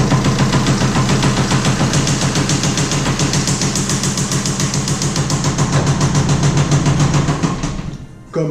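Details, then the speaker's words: BMW 1 Series N47 diesel engine: starts well but runs badly, with loud regular heavy knocking at idle like a failed con-rod bearing or piston, blamed on oil overfill. "avez pu l'entendre le moteur démarre très bien mais fonctionne très mal on aurait dit un coussinet biel bienne ou à piston défectueux tout ça à cause d'un trop plein de lui nous trompons d'huile"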